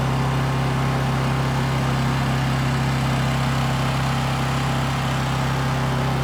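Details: New Honda EU2200i inverter generator running during a fuel-shutoff test, recorded on a phone mic: smooth, constant drone with a steady pitch that never hunts or stumbles; normal running.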